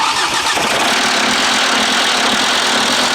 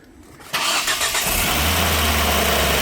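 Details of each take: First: Five-cylinder engine at 184,000 miles, timing belt last replaced around 95,000 miles: loud, ragged, uneven lumpy running with hollow tone, not firing on all five cylinders because the timing belt jumped teeth; slightly better. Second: Engine around 200,000 miles, first start after retiming: quick crank catches in half a second, settles to a steady, even, quiet idle with no binding or knocking; sounds good.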